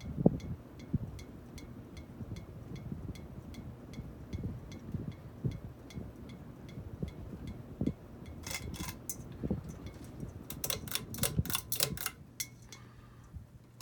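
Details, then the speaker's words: Dynasty Hugger 52" ceiling fan, model CF-HA52, from January 1988, with floral glass globe: soft fan hum with steady glassy ticks, about two a second, as the short unextended pull chain bounces against the globe. "If it was like actually installed permanently, I would definitely extend it, just so it wouldn't bounce around like that and make that noise, because then it would be annoying after a while."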